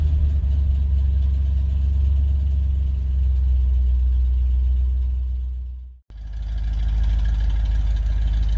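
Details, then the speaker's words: 1970 truck after fuel tank and line rust cleaning and a carburetor rebuild, ice cold at about -10 with the choke partly on. Deep, steady idle with no stumbling, knocking or misfire. Normal idle. "Listen to that. Ain't that wonderful? Now I got the choke on a little cuz she's ice cold, but just pers. I can't believe how well it works compared to what it was."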